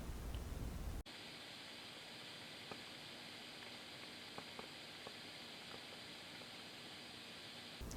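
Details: Fender Blues Junior IV tube amp after repair (bad power tube had blown the fuse and fried a resistor, causing a loud hum or buzz 10–20 seconds after switch-on; tubes replaced): only a faint even hiss, no hum or buzz, quiet amplifier hiss.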